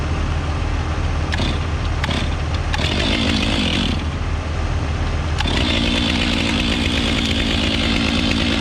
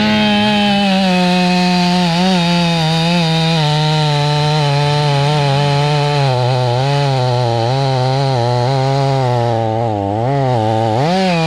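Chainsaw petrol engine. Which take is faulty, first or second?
second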